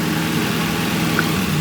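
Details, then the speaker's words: Nissan 240SX (S13) petrol engine idling smoothly and evenly, a faulty ECU having caused a cylinder 4 misfire; it sounds completely normal, though a slight misfire remained. ">> That sounds like completely normal. >> That is how she is supposed to sound."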